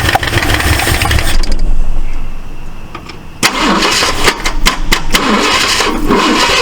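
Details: 1968 Ford LTD V8, first start after long abandonment: rough, popping back through the carburetor, with loose irregular clicking from one side; owner suspects a stuck valve, stuck lifter or bent pushrod and plans to pull the valve cover.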